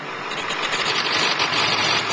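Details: 2001 Ford 7.3 diesel previously a no-start: steady, even diesel clatter and hiss at idle with no misses or knocks, idling normally.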